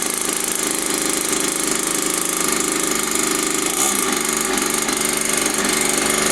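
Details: Mini dirt bike found in a skip, two-stroke after cleaning, carb priming and idle screw adjustment: fast busy buzz holds steady without misfires or dropouts; running normally.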